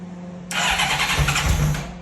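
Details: Honda CBR1100 Blackbird motorcycle after many years in storage, on booster with an old battery. Starter churns, then the engine catches for about a second on sprayed brake/carb cleaner and fades out. The carburetors likely need ultrasonic cleaning.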